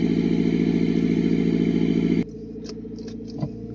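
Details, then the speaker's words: Mitsubishi Pajero Mini turbo, five-speed manual, after a custom 2-inch mandrel-bent exhaust with a short turbo muffler exiting under the passenger seat, cold start: small engine idles smooth and even, then shuts off; turbo more noticeable than the mellow exhaust note. Normal idle. "really the turbo is more noticeable than the actual exhaust note is nice and mellow down low"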